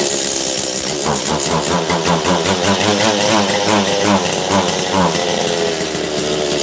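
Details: Makita DCS540 two-stroke chainsaw after low-jet and choke adjustment. It revs unevenly and stumbles, never clearing to a clean high rev; bogging on a lean carb setting. The owner thinks it possibly needs a carb kit.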